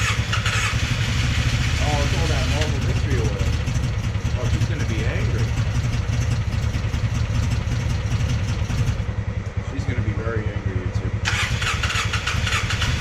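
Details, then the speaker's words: Polaris Sportsman 600 ATV engine: long cranking runs with ragged, weak firing pulses that stumble and never settle into an idle; hard starting from low compression. "all right YouTube we got some bad news with the sportsman six hundreds yep unfortunately she's got no compression"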